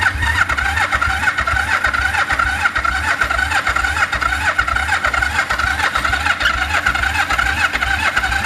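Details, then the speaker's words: 1974 Yamaha TX500 twin revived after 20+ years: a steady starter churn at about two turns a second with occasional uneven chuffs but no catch. It has spark and started shortly after. "Come on. It's trying. It's starting to pull fuel. It's trying."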